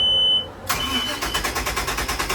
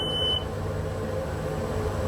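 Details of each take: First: 2005 Sea Ray Sundancer 320, starboard engine (~350 hours, plugs ~1 year old) cranks steadily at about eight pulses a second over two attempts but never catches; port engine cranks fine. No fuel delivery; the root cause was a faulty fuel pump mini fuse. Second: Sea Ray Sundancer 320 boat engine before cranking: a short beep, then a steady low hum with a faint hiss as the fuel pump primes normally. The earlier no-restart fault was a cracked mini fuse protecting the fuel pump.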